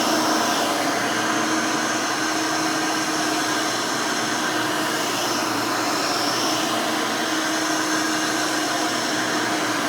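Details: Rebuilt Hoover Elite 600 upright vacuum, built from parts of several Elites, with a new 7 amp motor and 20-blade fan replacing the original 6 amp: a smooth, steady airy roar with a constant fan tone and no rattles or speed wobble. Runs smooth and fairly quiet.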